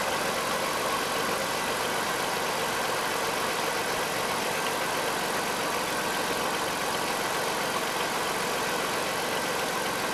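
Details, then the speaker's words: 1998 Dodge Caravan after replacing rear spark plugs and spark plug wire: smooth, even idle with a steady level and no stumbles or skips; engine started and runs cleanly with no misfire. "sounds pretty good you write back my friends okay there's no mixed fire you heard it started there's running good"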